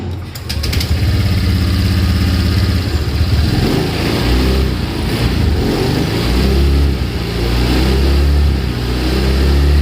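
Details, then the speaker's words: Honda Vario 125 LED scooter, hesitates and won't pull on initial throttle: engine stumbles and bogs briefly as throttle opens, then picks up; scanner showed dirty air filter altering altitude correction mode, TPS initially suspected. "di sini penyebabnya ternyata emang filternya yang kotor ya jadi karena perutnya yang kotor mode ketinggian ini berubah"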